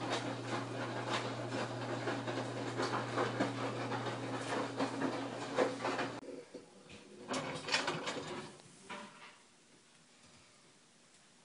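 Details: LG WM3470HVA front-load washer: a rough, uneven grinding/clicking over the motor hum, only in the wash cycle when the drum stops and turns slowly. No sound at fast spin.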